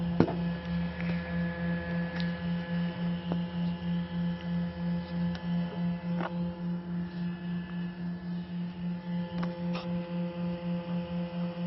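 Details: H11 LED headlight bulb: steady low hum with a fast, regular pulsing throb about three beats a second; the bulb's cooling fan runs loud, with a separate vibration problem also reported.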